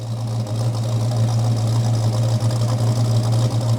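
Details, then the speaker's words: 1969 Dodge Charger V8 after new EFI fuel system install, idling at 850–900 rpm: deep, steady burble with even pulse, no knocks or misses; idling smoothly. "Yeah, it's coming down to about, might be hard to see, it won't focus, but it's at 850 to 900 for RPM. So it's really starting to get where it needs to be."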